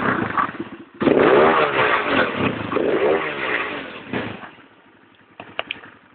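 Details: Single-cylinder 250cc D7 after its misfire was fixed: starts, rises and falls cleanly through several revs without stumbles or popping, then drops back, running smooth and even.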